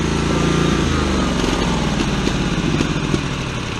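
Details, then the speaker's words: Ferris hydro walk-behind mower engine, running rough once hot, beat wavering and sagging as if starving for fuel though fuel filter full and carb bowl has fuel; owner suspects flooding; stalls when hot, cause unconfirmed. "it goes see and that's it now do you see what I mean by it sounds like it's starving for fuel but look plenty of gas in the fuel filter"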